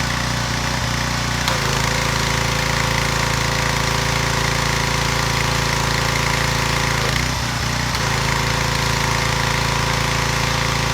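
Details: Residential pressure washer after replacing freeze-cracked pump, no water leaking: loud, steady engine drone with even rapid beat, no misses or knocking; normal running.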